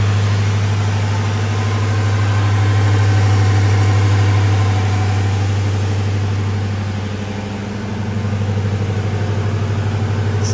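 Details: 2003 Crown Victoria Police Interceptor V8 under a body-dropped 1979 F-150, after fixing the leaking exhaust and swapping in a good battery. Stock mufflers exit over the axle. Steady, even V8 burble with no ticking or puffing; the exhaust sounds sealed.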